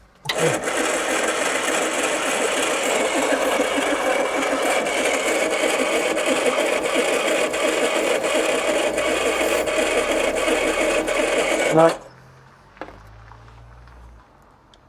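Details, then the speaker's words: 1980s turbo hatch, A-series engine, 36,000 miles, unused since 1992: starter turns the engine over steadily about twelve seconds, never catches, then stops; crank no start despite strong spark and fuel delivery. "No fire. You know, this engine was starting to really baffle me. [music] Turning over and turning over and not firing at all."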